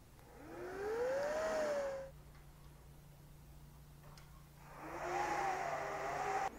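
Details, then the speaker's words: Dell R610 server after replacing the front I/O board with its faulty ambient temperature sensor: fans surge at boot, then settle to a low, quiet hum. Front fan now under 5000 rpm; normal fan speed restored. "so the system is booted up I don't know if you can hear through the mic here but it is definitely a lot quieter"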